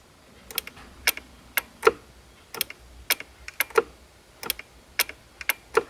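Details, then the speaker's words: 2012 BMW E93 335i Convertible electric glove box, unit removed and tested: three rounds of sharp clicks as the latch is pulled, motor trying but not moving; mechanism was sticking. "so i just did it three times and it you can hear it trying to work but it doesn't uh the motor doesn't work"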